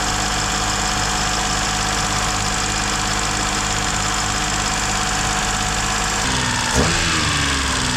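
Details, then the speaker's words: Duet car with a misfiring ("sneezing") complaint, restarted after throttle work once the engine had cooled; it holds a fast, steady idle that never dips, then the pitch shifts sharply near the end; the owner suspects it is drawing air somewhere: high idle, cause unconfirmed. "Ну что он остыл блин всё равно высокие обороты где-то он тянет воздух капец"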